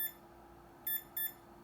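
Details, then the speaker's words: Bantam desktop CNC spindle motor controller after a run near its rated 193 power output, measuring 135–156°F: short high beeps, one and then a pair about a third of a second apart, a warning the owner suspects means overheating. "and yeah i'm pretty sure that's telling me that i've overheated"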